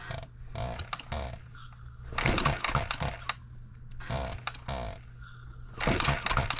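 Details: Model engine built 1988, not known when last run, crank just straightened, buzz-coil ignition, first start after flooding: irregular chuffing bursts that come and go, about four a second at best, never steady. Running erratically; owner suspects junk in the fuel system.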